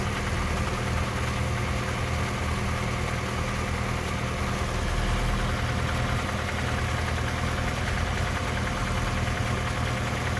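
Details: 3S-family engine in a VAZ 2121 (Lada 4x4) at idle: light fast ticking knock near cylinders 3 and 4, by the camshafts or lower; valve clearances, gear and cam beds already checked; top-end engine knock, cause not found.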